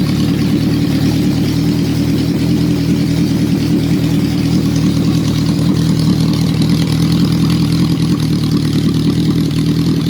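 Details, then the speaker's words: Honda restoration, engine now warm: even, steady four-cylinder idle with no misses, knocks or hunting; normal idle. "But I'm pretty happy, guys. I'm fairly stoked with that. That's good."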